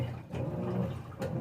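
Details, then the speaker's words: GE top-load high-efficiency washer, already washing: low churning hum swelling and easing about every second as the agitator swings back and forth; normal wash agitation. "hear that agitation back and forth that's it that's the agitator that's right folks call the professionals"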